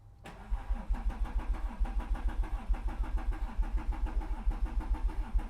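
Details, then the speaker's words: Mercedes CLS 320 CDI 3.0L V6 diesel cranking without firing, foot to floor, chugging rhythm skipping a beat about once a second; misfire complaint. "so I'll let you hear the engine you can actually hear that you don't actually need to sculpt it go for it so you can hear it messing the beat"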